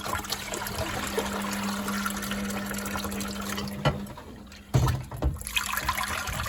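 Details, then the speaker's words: Candy Grand O Vita GV139D3 street-find washing machine (9 kg) on the 14-minute rapid test wash, first rinse: steady low pump hum for about four seconds, then it cuts out and water gurgles; normal drain pump-out. "It seems to be running correctly. 7 minutes. Rinse water, rinse number 1. Let's keep an eye on it. It might have a good thing here. 6 minutes, it's pumping out again."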